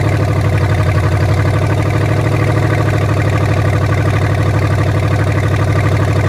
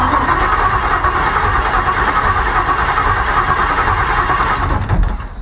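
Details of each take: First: Ford Maverick with junkyard EFI swap, first sustained run after earlier stalling: steady, even low-pitched running with no misses or knocks; engine sounds good. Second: Ford Maverick carb-to-EFI swap using junkyard parts, wiring just done: starter spins the engine at a steady even chug but it never catches, no fuel pump hum heard; cranks without starting.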